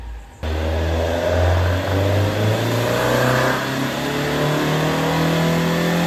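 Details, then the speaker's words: Rebuilt Vauxhall Corsa B C20XE engine on carburettors, freshly tuned, full-throttle dyno run: strong, even note climbing steadily under full load with no popping, spitting or misfire; healthy, 210 hp as expected, no leaks. "The car's done us proud. No leaks, no problems. I'm well happy. It has made 210 horsepower, which is what we expected."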